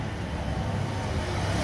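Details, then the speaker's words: Renault Kwid after replacing the fuel filter, at idle: steady, even low engine hum with no misses, knocks or hiss; the engine runs smoothly and sounds healthy. "ningún problema el carro va a funcionar"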